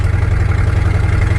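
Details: Once-abandoned square-body Chevy C10 cruising on a dirt road: loud, deep rumble with rapid puffing pulse heard in the cab, too loud; leaking exhaust header needing repair.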